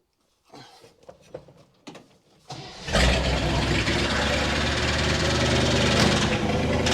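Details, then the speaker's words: 1960 Chevy Brookwood wagon engine, run after sitting 20+ years with rebuilt carb, new points, electric fuel pump and manual choke; fires and idles smoothly but with a steady, regular heavy knock about three a second; owner suspects rod knock. "and it runs smooth it just knocks really bad so I want to pull that valve cover I'm not going to take"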